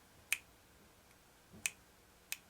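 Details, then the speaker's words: McCulloch Pro Mac 55 chainsaw, Walbro SDC-58A carburetor removed, engine not running: stiff diaphragm flexed gives three sharp dry crackles; moisture and dried fuel had got inside; hardened carburetor diaphragm needing replacement. "Hear that? If your diaphragm makes noises like that, do yourself a favor and replace it. You will not be happy with the performance that those have hardened."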